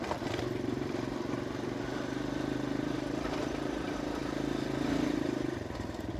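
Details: Kawasaki KLX 150 road test in fifth gear after a new RER 150 carburetor and the CDI socket loose-contact fix: even, steady engine drone on the road with no stumbles or cut-outs, where it used to stutter before; normal running.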